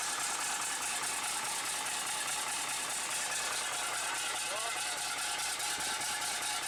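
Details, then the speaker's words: Bus diesel restarted after standing unrun for a week, with fresh fuel and a bodged wire: even steady idle tick while warming, no misses or knocks; healthy normal idle. "Ignition on, fuel pump should have come on. And it's recovered. She's recovered."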